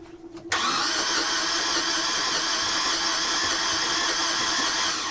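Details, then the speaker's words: Boat diesel engine cranked with a spare starter after the original would not turn at all: starter whirs steadily but at about half normal speed, too slow to start the engine, which never catches; suspected starter fault, not confirmed. "now it sort of turns over but it only turns over at about half the speed it should turn over and that's just not enough to get this engine to start"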